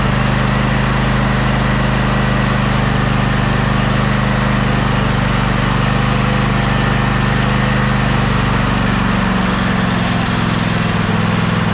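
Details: Husqvarna YTA24V48 tractor, 24 HP Briggs and Stratton V-twin, sat all winter and wouldn't start; it runs with a steady, even drone and no stumbles or knocks while warming up to circulate old gas out.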